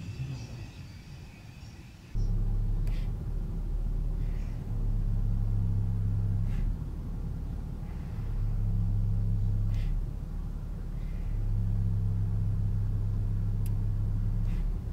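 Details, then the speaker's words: 2010 Mercedes-Benz C300 4matic Sport 3.0 V6 idling after a serpentine belt change; warning lights flickered and codes were logged. RPM sags and recovers each time the steering wheel is turned, and a faulty alternator is suspected. "every time you turn the wheel the RPM goes down I think that's clear that the alternator is not functioning properly"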